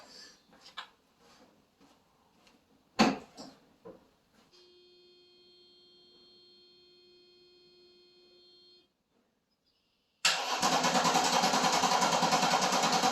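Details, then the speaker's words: Mercedes sitting 13 years, with Bosch electronic distributor ignition: after a warning chime the starter cranks steadily with good, even compression pulses, but the engine never starts. Crank, no start; spark is to be checked next. "So, she sounds like she wants to run like she's got compression, but we have to figure out why what where our issue is here."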